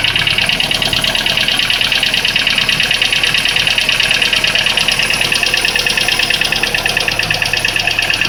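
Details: Daewoo Lanos 1.5 at cold idle: steady, sharp ticking knock about three times a second, evenly spaced; cold-start engine knock of unknown origin.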